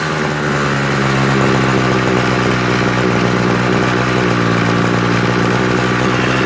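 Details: Homelite 26cc hedge trimmer two-stroke after carburetor and fuel line service, warmed up and being tuned. It buzzes at a high idle, uneven at first, then settles steadier as the needle valves are opened more. Unstable running.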